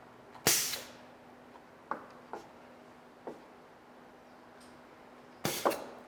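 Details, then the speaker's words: Festo basic pneumatics trainer: a 5/2 valve with a one-way throttle (check) valve restricts flow on retraction. Sharp air blasts and clicks a few seconds apart as the cylinder extends at full speed and retracts gently; normal cycling. "Extension happens at full speed, but retraction happens more gently. By adjusting this, I am controlling the flow."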